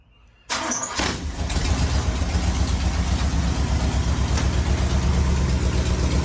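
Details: Rat rod bus V8 restart the day after its first start, intake gaskets replaced, cooling lines and timing not yet finished, engine smoking; starter catches within a second, then steady deep even rumble with no knocks, running normally.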